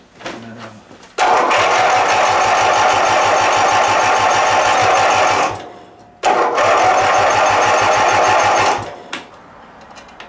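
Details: Riding mower with a brand-new battery and a new Bendix starter drive, replacing an old one that was chunky and sticking: two several-second cranking bursts, a steady fast whirr with no grinding or slipping. The starter engages cleanly.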